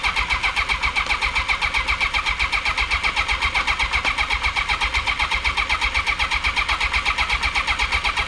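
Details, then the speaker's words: 1982 Honda CB750K, carbs cleaned, ignition hot-wired, choke pulled, temporary fuel tank: steady starter cranking about four beats a second, spins freely but never fires; crank no start, spark present, possibly flooded. "All right, since I can't get a start, I want to see if it'll spark. Yep, I can see a spark."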